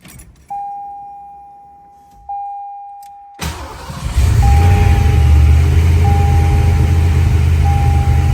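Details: 1986 Ford Mustang Foxbody after head work and corrected distributor wiring order: a couple of chime beeps, then the engine fires and settles into a steady, even run with no knocks or misses; new throttle body slightly sticky.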